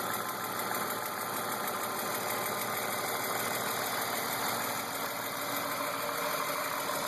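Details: BMW E36 328i M52 at 175,000 km with M50 intake and M3 headers and exhaust: a light, quick, steady tick. It persists after new oil, cam and crank sensors, injectors, lifters, chain tensioners, upper chain and VANOS seals, with oil pressure, fuel pressure and lifter clearance checked; the engine runs strong.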